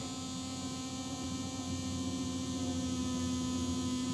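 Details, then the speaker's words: NINM Lab It's OK Bluetooth cassette player playing a blank tape: steady high-frequency buzz with a faint whir from the tape motor. "the whirring that's the motor but there's also this really awful high-frequency buzz [Music] so any tapping or whatever is getting picked up by the tape head"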